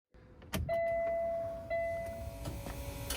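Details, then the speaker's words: Peterbilt 579 with Cummins ISX, key on after fuel filter change: steady mid-pitched electric hum that dips and restarts as the lift pump primes the fuel system, running about 60 seconds a cycle; normal. "if you hear that humming that's the actual lift pump running right now and we're going to let it do that a couple times it runs for like 60 Seconds"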